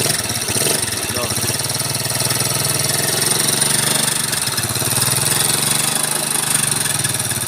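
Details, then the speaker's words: Yamaha Mio carburetor scooter, upgraded, fitted with Supra carburetor, idling; very harsh metallic clatter from the cylinder head and the block/piston area. "suaranya seram banget guys ya pokoknya hedan ini Kasar banget ada dari bagian head dan ada dari bagian Blok Tengah blok piston ya"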